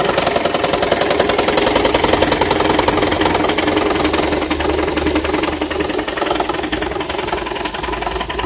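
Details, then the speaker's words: Engine with an intermittent knock that also makes it jerk, noise coming and going rather than constant; earlier it cut out on light acceleration after a traffic light: sharp, regular tapping about three and a half per second over the idle, cause unclear. "дергаться двигатель и шум исходит вон окутала шон периодичны то есть не постоянно"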